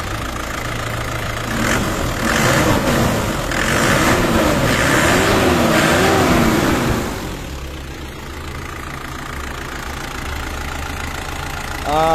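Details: Isuzu D-Max diesel with a low-power, no-start complaint and diesel leak: steady diesel clatter at idle, even and regular at about 214 beats a minute, with no misses or stumbling; normal idle.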